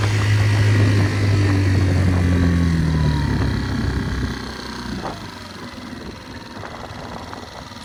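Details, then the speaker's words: Tohatsu 3.5 outboard on a West Marine PRU-3 inflatable, previously surging, after swapping the factory fiber-reinforced plastic prop for an aluminium one (about 8.3 knots): steady high buzz at constant pitch at full throttle; normal run without surging. "a dramatic improvement it's fine now 30 prop on amazon totally solved the problem"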